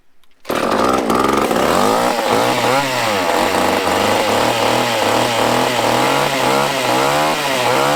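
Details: Used chainsaw with old fuel dumped, fresh fuel added, choked, and the fuel line primed: catches and runs with a rough, wavering but steady rasp as the throttle rises and falls; running fine once fuel arrived.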